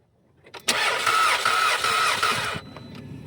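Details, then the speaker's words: 2013 Jetta: starter turns the engine over with an even whirring crank for about two seconds but it never fires. Crank, no start; the mechanic then says something broke and the engine needs replacing. "भाई start नहीं हो रही"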